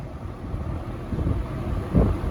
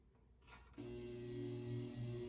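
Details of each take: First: Restored, repainted early-1970s Eskimo 20124 fan running on low speed: soft, steady low whoosh from the blades, no ticking, rubbing or wobble; quiet with a good breeze, running smoothly and normally. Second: Restored early-1970s Eskimo 20124 electric fan, motor recently oiled after years unused; steady low hum with faint high buzzing, louder before oiling, buzzing fades at full speed; owner suspects vibration.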